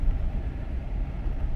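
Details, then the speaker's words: 2015 GMC Silverado towed in stalling and running terrible: deep, lumpy idle with uneven thumps and stumbles, truck shaking badly yet check engine light not flashing; MAP sensor code set; severe misfire. "I cannot believe the check engine light is not flashing you could see how bad this thing's shaking right wow this thing he's running terrible"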